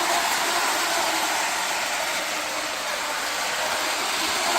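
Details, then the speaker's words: Lionel 2032 Erie FA-1 toy diesel locomotive, after a wiring repair, running in reverse: a steady, even, high-pitched motor whir with no catching or stutter. Normal running. "see how reverse yep she runs good in reverse"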